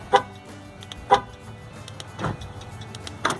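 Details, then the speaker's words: 2013 Dodge Grand Caravan sliding door lock actuator, newly installed and tested before door reassembly: crisp single clicks about once a second, each a sharp mechanical snap with quiet between; the actuator is working properly. "I can hear it clicking so it's working"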